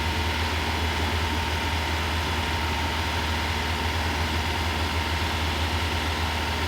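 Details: Rebuilt Porsche 912 engine fitted in a 911, idle held high: even low rumble at fast idle with faint whine, no stumble or miss, after timing retarded from about 38 to roughly 31–32 degrees; normal raised idle.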